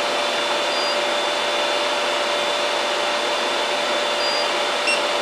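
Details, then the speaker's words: HP/Compaq ML350 Xeon server at power-on: steady, really loud rushing airflow with a faint constant whine, fan running flat out, beep and lights present. "I got a beat I got a I got lights I got a loud fan really loud it's moving some air"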